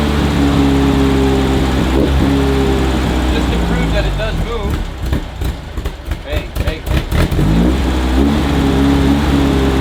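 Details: 1968 VW Beetle carburetted air-cooled flat-four, just started with choke on after priming. Idle beat stumbles and surges midway before settling. Owner says the carburetor needs tons of adjustment; engine smoking. Rough idle.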